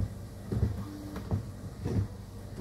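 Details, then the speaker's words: Toyota Yaris with new replacement wiper blades on wet glass, heard from outside at fast speed: soft, even swishes with no chatter or squeal, barely audible, quiet normal wiper operation. "bunyinya seperti itu tidak terlalu terdengar ya Oke kalau dibuka aja tidak terlalu terdengar apalagi kalau ditutup yaat"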